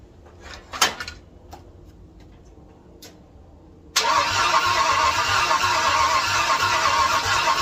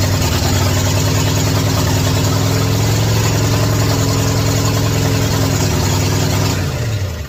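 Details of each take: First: 1967 Ford F100 after extensive rewiring: about seven seconds of steady starter churn, near three turns a second, with no catch or firing. Fuel system primed to about 40 psi, and the owner suspects timing needs adjusting. Cranks but won't start. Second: 1967 Ford F100 truck running for the first time after electrical rewiring and ignition timing adjustments: even, steady idle with a firm low rumble, no knocks or misses; normal idle.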